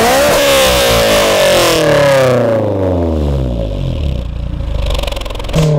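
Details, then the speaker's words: 2004 Honda S2000 phase 1.5 with aftermarket exhaust, revved high then falling away; loud trumpet-like midrange boom, drone between 3000 and 4000 rpm and another at 7000, VTEC at 6000: exhaust drone. "Donc voilà, donc sur la ligne, on a un drone entre 3 et 4000 tours. Un drone, c'est quoi? C'est comme une trompette. Et un autre à 7000 tours."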